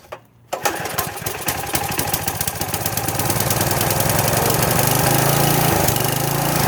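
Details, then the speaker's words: Troy-Bilt pressure washer small engine, first start after about 4 years sitting, only fresh gas added: catches after a pause, fires unevenly, then picks up speed and steadies. Rough start with the choke knocked off. "And then for a second, the choke had just got knocked off. Like a top. I just knocked the choke off, and excuse me, I forgot to check it before I tried to start it."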